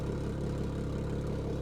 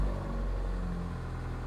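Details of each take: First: Salvage-auction car with T-bone damage and fresh 0W-20 oil, idling: a low, even, bubbly burble with no misses or knocks, a healthy smooth idle. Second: 2021 Mazda MX-5, 6,660 miles, fresh 0W-20 oil, warming up at idle: deep, loud idle rumble swelling unevenly, throatier than stock; exhaust sounds modified, not confirmed.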